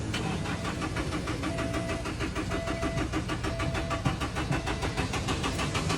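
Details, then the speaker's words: Car cranking but not starting: starter churns steadily at about two beats a second without firing; no spark and no fuel, suspected to be the crankshaft position sensor. "你看见了吗？这台车怎么都启动不了，你知道什么原因吗？"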